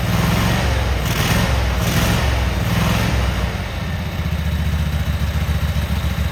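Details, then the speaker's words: Cub Cadet Super 2284 lawn tractor with electrical issues and no electric clutch, very dirty, missing bolts, rear cover off. On a test fire the twin-cylinder engine starts and runs at a steady, even beat with a brief rev, sounding healthy. "There was so much dirt, grease and everything, but we're gonna fire this motor. You tell me if you think it's a good runner."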